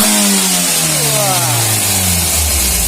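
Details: Mitsubishi L300 diesel with hard morning starting and weak pulling, after tune-up and exhaust processing: climbs quickly and evenly through the revs with no hesitation or flat spot, sharp clean pickup; normal free revving.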